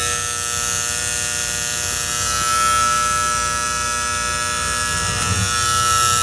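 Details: Antique gas furnace with a steady, constant-pitch electric buzz from the magnetic diaphragm gas valve; owner suspects the plunger with spring as the source, not confirmed.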